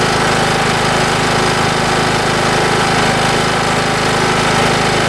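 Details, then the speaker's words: Craftsman YS4500 riding mower just after routine maintenance (new oil, oil filter, air filter, plug, blades; oil unchanged about 2–3 years), sat all winter on old gas; steady even engine drone, constant low throb, no misses, knocks or surging, normal running. "it this thing run about as good as you can ask since I got it uh it sets all winter with that crappy gas in it and it fires right"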